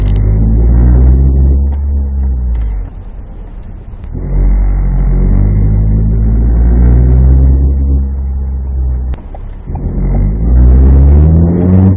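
Heavy low rumble and a rough, shuddering drone rise with each pull; something in the driveline grinds and vibrates under acceleration.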